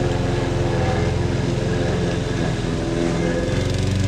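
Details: Lawn mower running after a new NGK copper spark plug and intake/carburetor cleaner: steady, even drone with no misses, surging or stumbles; owner says it starts and runs a lot better now than before the plug change.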